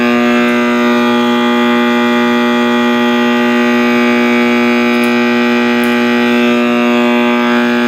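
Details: 1960s General Electric black-and-white tube TV, back off and plugged in while warming up: loud, steady siren-like howl from the speaker holding one pitch over a deep hum with no letup; the audio appears to be feeding back or oscillating, cause unknown.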